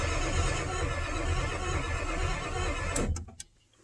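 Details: 1997 Ford F350 4x2 7.3 Power Stroke diesel with a scan tool/PCM connection problem: steady low starter churning at about three and a half beats a second that never catches. Injection control pressure fluctuates when it should read 450–500 psi while cranking.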